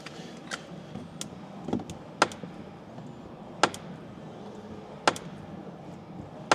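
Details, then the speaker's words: Dry clicks and clunks about every second and a half as the front door swings on a 2022 Jeep Gladiator EcoDiesel with 60,000 miles; the worn center door check, mostly its inside, makes the noise. "the opening and closing of the door um just wears it out but it's more so the inside of it that's making that noise"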